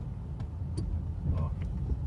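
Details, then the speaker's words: Ford Focus after a clutch replacement with a new actuator and brake/clutch fluid bleed: a steady low engine rumble with no squeal, grind or chatter as the clutch pedal is pressed, also quiet when shifting into second and third; noise resolved. "barulho nenhum andar com o carro segunda vamos lembrá xii avisado terceira a pisar na embreagem teve o pé nada tem nenhum barulho então resolvemos"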